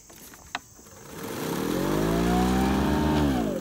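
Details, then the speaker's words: Toro 60V Recycler electric mower, full battery, in very tall grass with bag packed and grass clogged under deck: motor whine climbs then sags and stops under excess load, then beeps; slower pace and clear bag help. "you can see with that excess of load it just stops"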